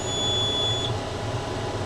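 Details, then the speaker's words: Kuhn round baler behind a John Deere tractor on a hot day, baling clover mix grass: one steady high-pitched beep under a second over the tractor drone, the out-of-net-wrap alarm. "To be able to hear that horrible alarm that's telling me that we've run out of net wrap."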